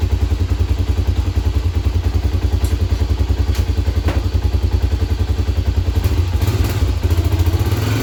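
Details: 1997 Honda 300EX quad after oil change, new brake pads and clutch adjustment: even single-cylinder thumping about 3.5 beats per second, no knocks or misses; engine running cleanly.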